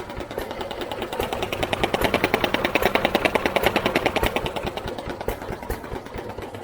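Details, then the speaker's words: New Idea Vari Speed engine being restored: quick, even valve clicks ticking steadily over the engine's beat with no misses or rattles; valve gear working fine. "clicking in there it's working fine so uh"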